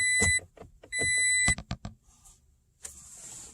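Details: 2016 Toyota Tacoma with push-button start: two long steady chimes with a few short clicks between, and the engine never fires; a dead key fob battery means the truck can't detect the key.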